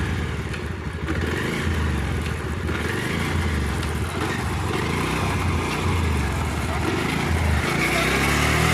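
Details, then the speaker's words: Bajaj Pulsar 150 after front chain sprocket replacement, pulling steadily in 5th gear: even engine drone, faint whir from old chain, earlier rhythmic khat-khat clacking gone. Normal chain drive. "यह सिर्फ चैन पुराना होने के कारण थोड़ी सी जो गोटियां हैं चैन में उसकी आवाज़ आ रही है, और वह प्रॉब्लम मेरी ख़त्म हो चुकी है खट खट की वाली।"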